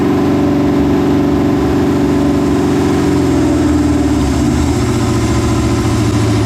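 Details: New LS 383 V8 in Deathwish on break-in oil, first fire-up: loud blipping, then a lumpy, uneven, hunting idle. Rough idle from running "pig rich"; untuned, with the tune not remotely close.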